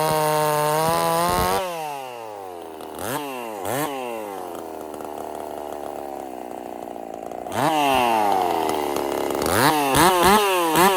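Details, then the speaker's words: Husqvarna 50 Partner 5000 hybrid race chainsaw, first cuts after rebuild with a machined piston taper, wood too big for the bar: a crisp two-stroke snarl pulls down steadily into each cut and recovers quickly. Running strong, though the idle tune is finicky. "okay so there we are um let me kind of go over this with you all right so yeah she's back up and running"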